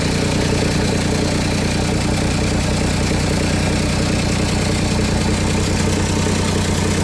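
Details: Engine idling with rough uneven puffing tick about three per second over low rumble; exhaust leak suspected, unconfirmed.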